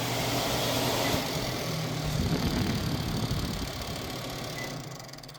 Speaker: So the problem, it's touching here. I will try to, yes, it is here, touching the case.